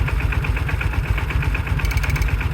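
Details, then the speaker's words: 1995 Kawasaki Mule KAF620A started ice cold after fuel tank work: lumpy cold idle with a new faint metallic ring and brief quick clicks, which the owner attributes to the fuel pump ("little clicky clacky"); engine kept running, fuel pickup issue seemingly resolved. "it is a clicky clacky it's just a little baby clicky clacky never heard it run before"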